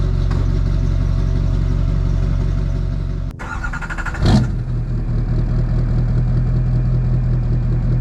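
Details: Duramax diesel (2001-2016 range) after installing Dynovox stainless up-pipes replacing the OEM pipes. Deep, steady rumble with a short clatter as it catches, then an even idle with no exhaust ticking. Normal start and idle.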